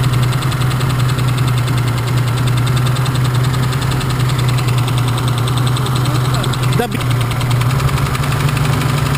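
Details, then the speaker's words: BMW engine at idle, cylinders cut out one at a time to find the knocking cylinder: fast even light ticking over a low drone persists; knock still undiagnosed. "давайте определим какое этот у нас стучит цилиндр сейчас сашка заведет а я буду по одному цилиндру снимать"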